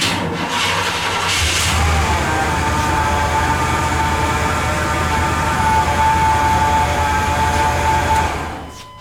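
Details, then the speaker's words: 1998 Chevrolet 1500 5.7 V8, 82,000 miles, running: steady high whine above the engine rumble; test without the belt showed the noise comes from the alternator rather than accessories or idler pulleys. "I'm going to start it up without the belt on it see how much of that noise is coming from accessories and idler pulleys Oh just like I thought that was the alternator making all that noise"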